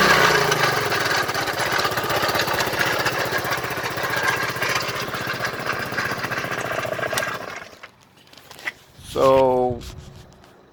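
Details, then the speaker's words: 2006 Vespa GT200 scooter, about 5,000 or 15,000 miles, coolant almost empty: on start, rapid metallic clatter like scraping metal over the idling single for several seconds before shutoff; owner suspects rod knock, cause unclear. "when i start it it makes this sound so [Music] sounds like scraping metal"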